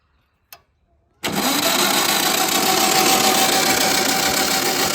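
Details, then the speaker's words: 1970s VW sand rail, stock 1200cc engine, cranking after cleaning distributor points: starter spins three or four turns a second with no firing; still no spark, crank no start. "Nada. No spark. I don't know why it wasn't running."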